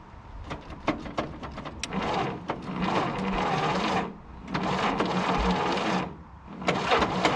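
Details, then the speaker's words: 1951 Willys CJ3A Jeep, last tagged 1969, after 52 years off the road: the starter churns in two-second bursts on a weak 6-volt battery and the engine turns over evenly but never catches. Weak spark, and the owner suspects it is flooded. "Oh, we're close. We're so very close. I think we might have flooded it. She doesn't have very strong spark."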